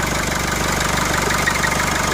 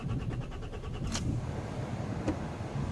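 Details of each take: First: 2003 Nissan X-Trail diesel that cranked with no glow plug light and wouldn't start: after the fix the glow plug light returns and it runs with a steady, even diesel clatter and no misses or hunting. Normal idle. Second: 2003 Nissan X-Trail diesel with no glow plug light: the starter churns rhythmically for about a second and stops, and the engine cranks but never starts.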